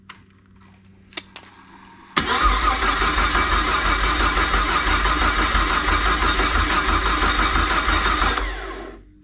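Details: Jeep Grand Cherokee (ZJ) 4.0 coil-pack engine on first fire after rebuild into 2000-01 XJ spec: short crank catches at once and settles into a steady, even idle with strong low thump, no knocks or misses; healthy running.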